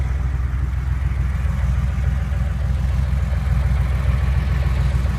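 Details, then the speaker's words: Porsche, warm after about half an hour of driving: steady running with a light tapping of roughly three to four beats a second over a deep hum; source not identified. "warmed up, and I've been driving for about a half hour. Kind of hear it. Tapping sound."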